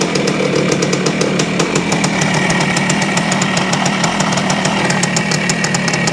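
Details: 1973 Yamaha CT-3 175 Enduro idling roughly with sharp rapid ticking and occasional miss from crank up-and-down play; worn crankshaft main bearings, to be replaced.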